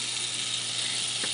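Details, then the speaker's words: Comfort Zone cradle fan on high speed: steady airy rush with a dry, scratchy grinding and scraping rasp; something in the fan is rubbing, and it is quieter than expected for a high-velocity fan. "And in addition to not being loud, there's some kind of grinding, scraping, scratching sound coming from it, which is unpleasant."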